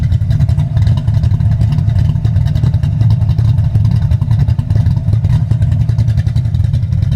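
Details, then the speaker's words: High-compression big-cam manual car with SpinTech 9000 mufflers and Anderson N-111 cam, timing 33–35° at idle: deep loping idle with choppy exhaust beat about two to three pulses a second, normal for the big cam. "That's the SpinTech 9000s with Anderson N-111 and that's high timing, guys. This is 35°, 33 to 35° timing at idle."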